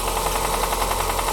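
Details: Toyota Corsa 5E-FHE engine at idle: steady, quick deep internal knock over an even idle; owner suspects a connecting rod knock, needs opening up to confirm.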